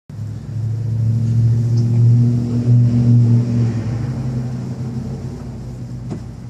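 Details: 2002 Nissan Altima after battery change: steady cranking rumble at about four pulses a second that never catches; cranks but won't start, cause unknown.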